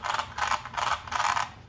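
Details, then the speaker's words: Arrma Senton 3S RC truck after slipper clutch service, spur swapped for Hot Racing metal spur gear: four rasping bursts of metallic ratcheting as drivetrain turns over; loud but even, normal metal-on-metal gear mesh. "That's that new metal on metal gear."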